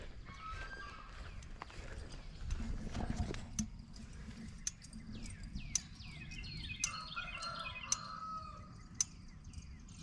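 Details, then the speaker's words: Temporary goat electric fence energizer, just plugged in, gives sharp single ticks about once a second, steady over birdsong and breeze; the fence-OK light flashes, so the charger is pulsing normally. "ready to fire it up well it's plugged in and I hear it ticking"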